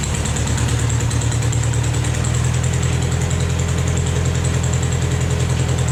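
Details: Vermeer 630A stump grinder engine after rebuild, with a replacement fuel pump now feeding the carburetor: a steady, even idle with a smooth low thrum and no misses or knocks. It runs cleanly.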